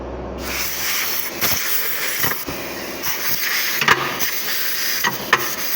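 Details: Rebuilt Fuller gearbox from an Iveco Eurotrakker after running through 8th gear, range switched down to low: short sharp air hiss bursts from the shift air valve; normal air range shift.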